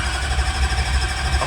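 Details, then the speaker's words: Duramax diesel drag truck cranking with injectors unplugged after upgrading to a Titan 8 lithium battery; quick, strong, even cranking pulses with a deep chug, no firing, about 190 RPM versus roughly 100–130 RPM with the old battery. "Dude, 190 RPM. That's wild. That's like what? 50 RPM increase. And it just sounds a lot more rowdy with that battery."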